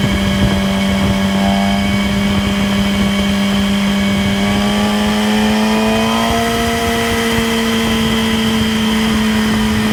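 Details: 2008 Yamaha R6 holds 6–7k rpm cruising revs with a steady whirring whine over the engine note, clearly audible there and possibly present above and below; includes downshifts through the rev range; cause unknown.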